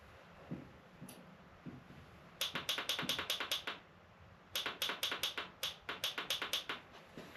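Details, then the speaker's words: Yamaha TW200 motorcycle that sat a long time with a dead battery, on a jump box with choke on: quick bursts of sharp dry clicks about six a second, no cranking; rapid starter clicking, owner suspects a sticking solenoid. "That means the selenoid's sticking a little bit, I do believe."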